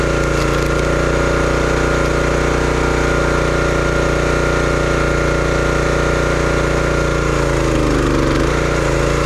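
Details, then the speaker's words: Brute 30-ton log splitter, Briggs & Stratton engine (9.5 ft-lb gross torque, roughly 5–6 hp), brought in as a no-start: steady, even beat with a brief dip as the splitter takes load, then recovers; running healthy, though power seemed modest. "But everything seemed to work good on it. It ran really good for a few chunks of wood, so I'm not sure how much I would recommend these Brute splitters."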